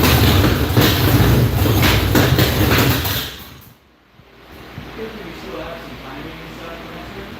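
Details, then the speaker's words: Fresh 408 stroker V8 in a Foxbody Mustang, first fire-up on MSD ignition with estimated timing (balancer marks painted over): loud, lumpy V8 firing with an even beat for about three seconds, then dies away. "I'm happy it sounds good and it didn't take 4 days to make noise."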